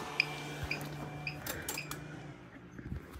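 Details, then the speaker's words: Everstart 400 W inverter in a homemade portable power bank, internal fan running, powering a non-LED bulb switched to high; four sharp chirps about half a second apart as the low-battery warning sounds under heavy load; inverter low battery warning chirp. "As soon as I turn it on high, though, it starts to go to low battery warning. You hear it starting to chirp."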